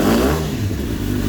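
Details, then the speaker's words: Suzuki GSX-R1000 K8 with F1 fault code, owner suspects a wiring problem and not all cylinders firing: engine held at a low, flat drone, won't rev past 2500 rpm despite throttle. "You see that it's blocking on 2,500 and just don't want to go more."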